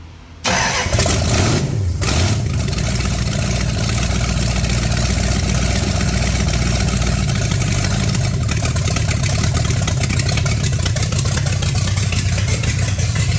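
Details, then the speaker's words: Plymouth Duster dirt-track racecar with newly installed engine and transmission, first start on racing fuel with carburetor primed and the old plug wires: brief crank, then it settles into a strong, steady, deep lumpy idle with no knocks or misses; healthy. "Man, that is music to my ears, I'll guarantee it."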